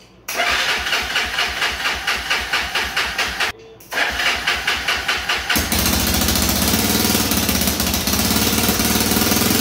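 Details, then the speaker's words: Honda 300EX single cylinder on its first start after an engine rebuild, top end pre-oiled: catches after a few cranks and runs a fast idle because the gas tank sits on the throttle cable. A light quick tick is believed to be the exhaust gasket; smoke is oil burning off. "So the ticking that you might be hearing, I believe is this exhaust gasket up here. Kind of sounded like a tick, more like an exhaust kind of pop."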